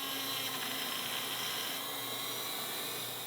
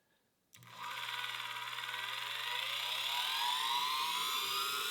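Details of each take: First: Well, it seems the wheel came loose on the end of the spindle here a bit, and now that I think about it, I don't recall actually tightening it. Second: Lathe after a wire was soldered directly to the terminal: spindle spins up quickly to a clean, steady high whine with no rattle or catch; normal running.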